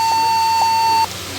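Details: Lenovo G50-70 laptop at power-on: steady high beep tones in a short repeating pattern with no display, display appears briefly then drops; cause suspected, not confirmed.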